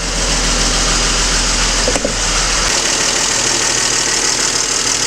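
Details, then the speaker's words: BMW E39 with M52 engine, hood open, idle then revved: fast, loud clattery ticking from worn hydraulic lifters; oil pressure light goes out after three seconds, and low oil pressure could also cause ticking. "капот открыт то есть и какой звук очень сильно стучат гидрики попробую дать газу ужасно сильный звук"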